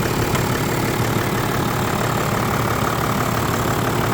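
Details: Toyota Land Cruiser 100 Series with 1HD-FTE turbo diesel, first start after blind purchase: even diesel idle clatter, steady pace, no miss or heavy knock, no smoke, purring; normal idle.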